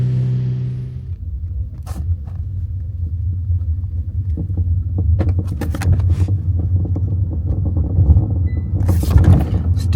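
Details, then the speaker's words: Kia EV3 GT Line S after one year of driving, on the road before lubrication: irregular sharp rattles and clicks over low road rumble, from the tailgate (boot) rattling. "Definitely the tailgate rattling."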